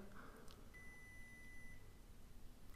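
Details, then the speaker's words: Arduino-coded water leak alarm prototype with the sensor dipped in water: a one-second high-pitched beep with a two-second delay between beeps and an LED lit; it stops when the sensor is pulled out. "So, you can hear it beeping now. And notice the LED also comes on and I can pull it out. and it stops."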